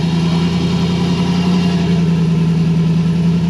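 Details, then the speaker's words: Nissan S13 at idle after plumbing redone, pressure now almost 70 psi versus 45 before: smooth, even low hum, steady pitch, no knocks or ticks; engine sounds way better. "I think they got it done. sounds way better. Listen to that, yo. What was I telling you? Way better."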